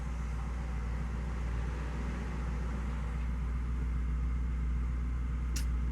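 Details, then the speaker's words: 2005 BMW 645ci E64 with N62 V8, after fixing dead misfire from melted ignition coil: steady even low idle rumble, smooth, no stumble; normal. "So far it feels pretty good. Nice and smooth."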